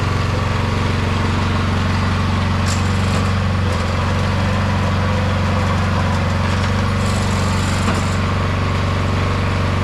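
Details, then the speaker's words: 22-inch MTD Yard Machine snowblower, owner thinks 5 hp 179 cc, after the carburetor main jet was drilled out to cure surging: the single-cylinder holds a steady, even drone with no hunting or surging; governor settled, runs smooth. "Well, I think we're going to call this one done. It seems to run pretty good now that we've done that that mod to the jet and drilled that jet out to smooth out the surging."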